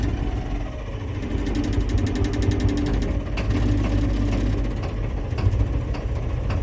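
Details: 1983 Ford F250 6.9L diesel, out of gear, just started after sitting 8 years and about two months of work: deep, even diesel clatter holding a steady low idle without stumbling or surging; engine healthy.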